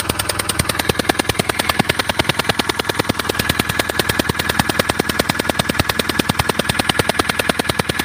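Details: CRDI diesel at idle: a sharp, very regular chuffing tick about two and a half times a second as compression leaks past a failed injector seal, with engine oil also leaking around the injector; the fix is replacing the injector seal.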